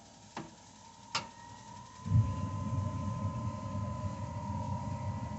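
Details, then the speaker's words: Suburban IW60 tankless water heater starting up after the dip switch was raised from 108°F to the 130°F setting: two sharp igniter clicks, then the burner lights with a soft, steady low roar that holds evenly; normal start-up. "that that's what it sounds like in good working order"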